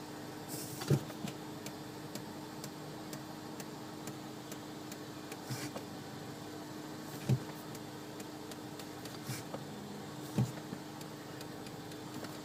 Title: mutilple ticking sound when brake pedal is depressed volvo xc60